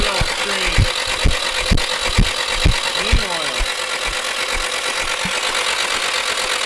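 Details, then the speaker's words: Nissan 240SX S13 with SR20DET swap, abandoned for years, cranking with valve cover off: rough clattery spinning about two beats a second, no firing; sounds terrible, cause unclear, possibly stuck rings from sitting. "motor sounds terrible with the valve cover up i don't know maybe i'm not used to it"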